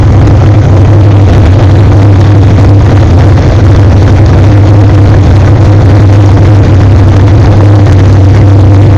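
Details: Chevrolet 427 small-block BluePrint crate engine (rated 540 horsepower) on a test stand at first start: deep, steady, even V8 rumble with no knocks or ticks; the new engine runs smoothly and sounds healthy.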